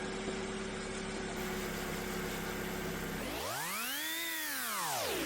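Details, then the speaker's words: Ford Fiesta on first start after an oil check: brief tapping as the oil circulates, then an even, steady idle and a clean rev blip that falls back smoothly; the engine sounds healthy. "Good little engine these as well. That sounded good."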